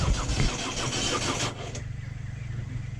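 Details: 2010 Ford Focus 1.6 TDCi diesel cranks steadily at about three beats a second after starter replacement, battery at 13.1 V, but never catches; kept cranking on and off for an hour without starting, diagnostic computer planned next.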